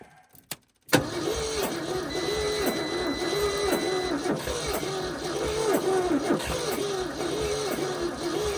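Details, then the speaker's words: 1971 Ford F250 parked about 30 years, at −15 °C, with the battery at 11.8 V and a boost pack not fully charged: about three labored, uneven turns a second without catching, as the battery is too weak. Stuck valves are also suspected. "Well, I'm gonna need to put the cables on it. I ain't got the crankage now. The boost pack wasn't fully"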